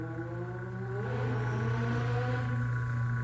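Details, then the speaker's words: Motor on a far-too-small 3 µF run capacitor: a loud, steady mains hum with a struggling, slow spin-up, the motor barely starting. Current stays high and only the auxiliary-winding current drops. "Mas olha o barulho dele, fica dando aquele barulho da oscilação da rede elétrica, fica roncando."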